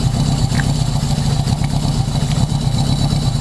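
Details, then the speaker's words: 1980 Yamaha XS1100 Special, four-cylinder with intermittent #4 dropout, resistor plug caps being swapped: steady idle turns harsher and more uneven when one plug lead is pulled, so that cylinder was firing. "does a little more it gets it gets angry with me"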